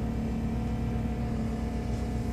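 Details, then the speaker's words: Pontiac Grand Prix GXP, cold start at -14 °F after two tries: steady low drone with constant tone over cold idle; owner says power steering pump is struggling in the cold; whine on cold start. "that's my power steering pump making all that noise doesn't really want to turn because it's so cold but that's what happens when you start your car that's this coldo it's freezing"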